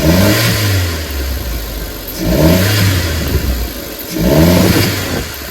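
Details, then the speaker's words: Chevy (Geo) Metro after throttle position sensor replacement: engine surges up and sags about every two seconds, never settles, running rough as if flooded; problem persists after the new sensor, cause unconfirmed. "yep still doing it see it sounds like it's being flooded does it not sound like that sounds like it's being flooded"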